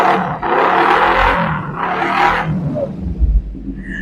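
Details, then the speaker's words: Used motorcycle for sale with a racing exhaust: two short throttle blips rise and fall cleanly through the loud exhaust, then drop back to idle without misses; the engine revs healthily. "Suara juga masih ciri khas. Pokoknya makin jos bis, Bosku, ya."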